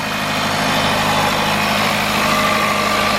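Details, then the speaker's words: 2018 Jaguar XF 2.0 petrol, first start after timing chain, water pump and turbo replacement for a stretched chain and rattle: steady, even idle with a smooth unbroken hum and no knocks or rattles; healthy. "Barry is that it sounds healthy you have to do that"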